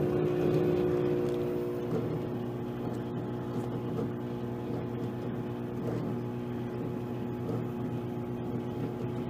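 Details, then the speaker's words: Roadside-salvaged microwave test-run with a quarter cup of water: steady hum with rough whir pulsing about four times a second; cooling fan sounds awful. "Listen to this fan. It sounds awful. This bottom one's going to be just full of grease and nastiness."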